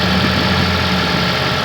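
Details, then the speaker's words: Toyota Prius hybrid with 238,000 miles, new electric water pump, no oil burning: smooth, even low idle with a steady hum and no knocks, ticks or misses, engine healthy. "the engine I hope you can hear it is purring like a kitten"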